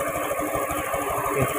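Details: Honda Beat FI scooter that ran rough like a diesel, oil changed and CVT found fine, with the timing chain tensioner adjuster turned left: even, light idle pulsing with no rattle or clatter; the faulty automatic cam chain tensioner is blamed.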